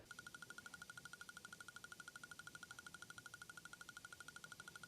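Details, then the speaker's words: Fast, even ticking about ten clicks a second from the saddlebag locking relay under the ABS module, right side cover, of a new Harley-Davidson CVO; ticks constantly with ignition off, key fob present or not, causing parasitic draw. "so a couple observation with this ticking sound coming from the relays it never shuts off you can let the bike sit on a tender off a tender with the key fob present or the key fob not present and they will continue to tick"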